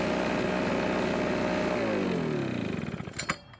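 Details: Husqvarna backpack blower stored for years with water-contaminated old gas, running after refilling with fresh fuel: strong, even two-stroke buzz holding steady, then winding down cleanly at shutoff; normal running, no carburetor rebuild needed.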